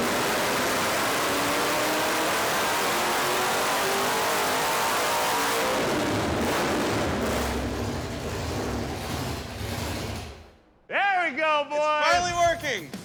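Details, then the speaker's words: '55 Chevy Blasphemi with Hemi engine, new supercharger and wider throttle opening on a dyno tune toward 1,000+ hp: loud steady roar under heavy load with rising blower whine, no misfire or knock; normal full-power pull, most power yet. "I got bad news for you Mr Burger so yeah she's happy this car has never made that much power"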